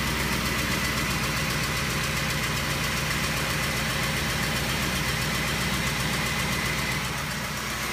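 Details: Ford Triton 5.4L V8 with VCT: uneven idle, steady tick about four per second, stumbling beat, heard near driver-side valve cover; failed coils caused misfire, ECU altered timing; replacing all 8 coils and plugs fixed it.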